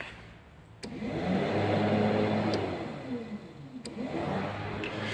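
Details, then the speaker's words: Peugeot 205 diesel radiator cooling fan, first speed, run via newly added manual switch on permanent supply, can run ignition off: fan spins up to steady even whir with smooth low hum; fans working normally. "C'est pas décharger la batterie, mais en général, ça s'entend quand ils sont allumés. Donc, tu les oublies pas en général."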